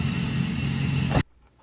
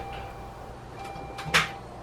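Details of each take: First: 2005 Saturn Ion 2.2L Ecotec with a one-to-two-year-old Bosch starter, removed and perched on the hood, bench-cranked with jumper cables: steady high electric whine, spins freely about a second then stops; starter is good, yet the car only clicks. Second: 2005 Saturn Ion 2.2L Ecotec with a charged battery and normal voltage, Bosch starter only a year or two old: one sharp click when the key turns, then no cranking; starter clicks but won't turn the engine, jump start didn't help.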